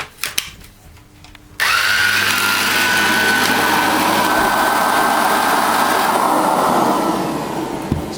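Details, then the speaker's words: Electrolux UltraActive ZUA3861P vacuum powerhead after belt replacement, brushes previously not spinning: after a quiet start the motor spins up to a steady, even whir with a clean high tone, no rattle or slip; fixed and running properly. "that is working perfectly now. There we have it. That one is fixed."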